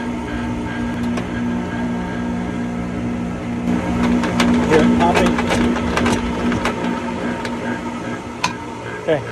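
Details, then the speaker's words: Pentair MasterTemp pool heater at light-off: steady burner hum with irregular sharp pops and crackles; failed bypass valve sends too little water through the heat exchanger, so water boils, making it pop and shake. "okay so guys we are working on this master temp heater that is clicking and popping when it turns on let's see if we can fix it"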